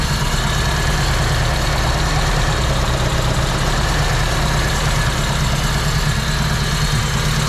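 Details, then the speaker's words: Honda D16 VTEC track car with big cam, carbon fiber intake and new headers, idling: deep, loud lopey idle with heavy intake sucking hiss as valves open more; car visibly shaking; normal cammed idle. "The cam's for the power, but you really, really want the lopey sound, which is what we got. You can hear from here the intake sucking because those valves are opening more. It's sucking in more air. Very loud induction noise."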